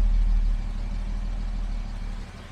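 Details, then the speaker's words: 1975 Jaguar XJ6 with a leaking head gasket, after two months sitting, idling with the AED enrichment now off: a deep, even exhaust burble with no skips, purring along. A front noise is likely water spilled on the belts. "And yeah, AED is turned off now, and this thing is purring along."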